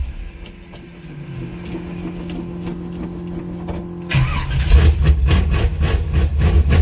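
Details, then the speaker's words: Chevrolet C10 small-block V8, cold start on the old worn carburetor before swapping to a Quick Fuel 680 vacuum-secondary: four seconds of laboured cranking, then an uneven, lumpy idle. It is a hard cold start. "now hey as you can tell she don't like cold"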